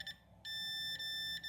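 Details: Electrolux MEF41 microwave control board, 16 V 470 µF capacitor tested off-board with meter: steady high-pitched beep continuously with probes either way round; capacitor shorted.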